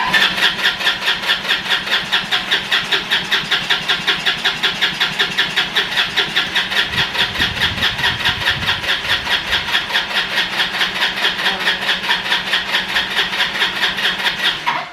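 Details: Roadside-found ATV fires in an uneven, lumpy beat for about fourteen seconds, then dies. It can't pull enough fuel from the tank, and the start button seems to overheat with long cranking; likely fuel starvation.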